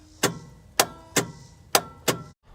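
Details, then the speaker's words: 1965 Chevrolet C10 with a '67 Camaro SS 350 and Quadrajet, unrun for 28 years, on a fresh battery: five sharp clicks about half a second apart and no cranking. The starter seems not to engage, though it turned the engine over earlier. "like the starter clicking to me sounds like it's not engaging which is kind of weird because it did turn over"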